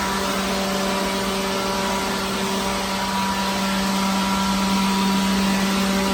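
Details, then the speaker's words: Pawn-shop leaf blower cleaning out a truck trailer makes a steady motor whir and even fan hum at one pitch, with no wobble or rattle: normal running. "Yeah, here we go. Just blow up our this. Man, that's pretty good. Not bad for $20, I'll tell you that. It does the job."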